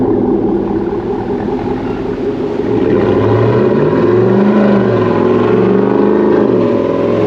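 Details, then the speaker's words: 2017 Cadillac Escalade 6.2 LT V8 with BTR cam, DOD delete and Corsa exhaust, first startup and startup tune, warming oil: deep lumpy burble swelling with throttle, crisp exhaust note; healthy normal revving. "She sounds real good. Corsa sure does make a nice exhaust system."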